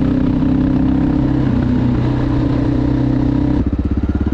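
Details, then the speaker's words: 2011 Honda XR650L single after top-end repair for a tapping noise, revved while covering the intake to clean the carburetor: revs hold then drop to an even thumping idle, tapping noise gone; carb still needed cleaning. "all right no more engine noise but definitely needed to carve clean"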